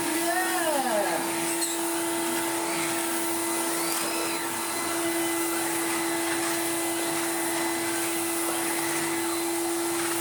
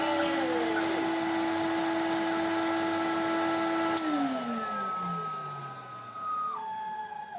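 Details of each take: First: 1990s Numatic BX.BX BX190 commercial vacuum after wiping the filter seal and cleaning the bin: steady motor hum with a hissy, leaky edge, quieter than before; remaining leak suspected inside the motor housing until refurbished. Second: 1990s Numatic BX190 (BX.BX) commercial vacuum, first start with uncleaned filter: steady high motor whine with even pitch, winding down smoothly after switch-off; still good suction; normal running.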